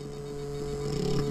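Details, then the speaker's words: Jeep, engine off with ignition on, computer connected: steady low electrical buzz with higher overtone, felt as vibration on the boost pressure control valve; buzzing boost pressure control valve. "takie buczenie coś tu sobie buczy dotykamy ręką No coś tutaj wibruje na tym zaworze"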